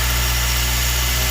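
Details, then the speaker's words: Acura RSX K-series after fitting a fuel return and flex-fuel system, fuel pressure holding at 46 psi with no leaks: a steady, even, low idle hum with no misses, knocks or ticks; runs healthy. "i'm um out around right there 46 psi and holding yeah so everything's good everything's running"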